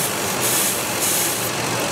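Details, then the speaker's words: 2003 Ford F-150 V8 idling with a steady airy hiss from a vacuum leak at a rubber intake boot that sucks a finger in; codes P0171 and P0174, both banks lean. "And then if you put your finger right there, it gets sucked in. Okay. So we found our vacuum leak. And it's on a fucking rubber boot."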